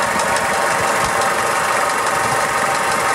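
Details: 2000 Toyota Hilux 5L diesel at idle, timing belt and water pump already replaced: rattly bearing-like noise and a whizzing whine, both in time with the engine; source unidentified.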